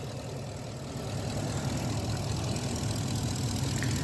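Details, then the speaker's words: 2017 Ford F250 6.2L gas V8 at idle with both intake manifold runner control (IMRC) connectors unplugged: steady even rumble, ticking gone, pointing to a faulty intake manifold IMRC as the tick's cause; manifold needs replacing. "Now it sounds like a regular motor, sounds good."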